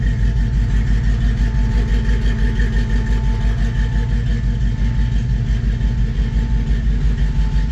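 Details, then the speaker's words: 1954 Chevy 3100 project truck V8 after radiator filled with water and code cleared: deep, steady lope with an even beat, no misses or stumbles; residue will burn off; normal idle. "That sounds really good. I like that. This will all burn off over time."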